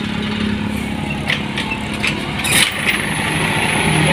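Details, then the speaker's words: Honda Scoopy scooter after the crankshaft bearing was replaced for a rough engine noise: a fairly smooth, even idle with no rumble or grinding from the bottom end. The earlier noise is gone and the engine runs normally. "Nah guys, bisa kita dengar sendiri ya bahwa suara yang ribut seperti di awal-awal video guys sudah hilang ya."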